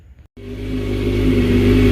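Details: Motorcycle being started and warming up for a header-spray misfire test: catches and settles into a smooth, steady hum rising slightly as it warms; even firing, no missing cylinders.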